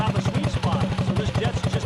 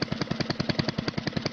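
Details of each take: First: Predator 224-powered GTS mini bike, 26 mm PWK carb with 38 pilot jet, mixture screw set about 1.5 turns out (the sweet spot): steady, even single-cylinder putter at idle with no misses or hunting; clean, smooth idle. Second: Predator 224-powered GTS mini bike with a 26 mm PWK carburetor on 38 pilot and 115 main starting jets, before tuning: engine pops and stumbles in uneven bursts, surging instead of holding a steady idle; rough running, needs carb tuning.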